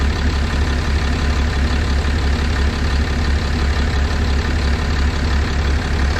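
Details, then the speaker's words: 6.7 Cummins with factory injectors at about 859k miles, coolant temperature 177, idling heavily with a hard rhythmic knock about three per second; owner suspects bad injectors, not confirmed. "we're at 177 it's not going to get any higher but man I hear some knocking in there"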